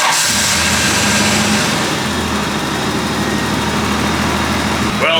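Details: An RB30E (R31) after replacing the CAS and distributor, warming up before the timing is set. Steady, even inline-six idle with a smooth low rumble and no misses or stumbles. Normal idle.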